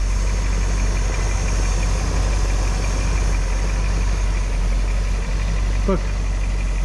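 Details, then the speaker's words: 1975 Dodge Holiday Rambler motorhome, started after sitting about 20 years, at about 180–190 degrees with about 30 psi oil pressure: steady, even idle with a smooth low rumble and no knocks or misses; power steering belt noted as acting up; normal idle. "thing is running and it's running really well in fact"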